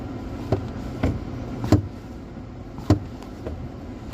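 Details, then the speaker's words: 2024 Hyundai Venue clutch pedal: sharp knocks about one a second each time the pedal is pressed; caused by the round clutch pedal stopper button. "Hyundai venue 2024 model customer complaint வந்து clutch பேடல் மேட்ச்சா டக் டக்குன்னு sound வருது."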